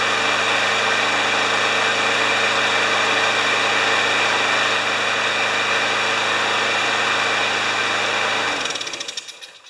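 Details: John Deere JS30 mower, Briggs & Stratton Quantum engine with automatic choke, running on the stand after the blocked carburetor was cleared with carb spray. Steady, even buzz for about eight seconds, then it winds down; some smoking and oil in the muffler were noted.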